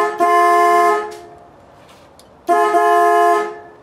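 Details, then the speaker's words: 1965 Ford Falcon horns after steering column repositioned: two loud steady chord-like blasts, each just under a second, quiet between; horns working strong, though horn button contacts still suspected faulty. "so this might be the first time hearing them sounds so good"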